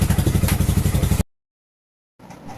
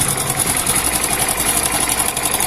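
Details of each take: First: Hero Splendor Plus BS6 single at idle after timing chain replacement: even, steady low thumping with no rattle or tapping, where a damaged chain had caused the rattling. Normal idle. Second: Hero Splendor Plus BS6 motorcycle at 40,318 km, engine idling: a fast, dry metallic clatter over the engine beat from a loose timing chain rattling, heard before the timing chain kit is replaced.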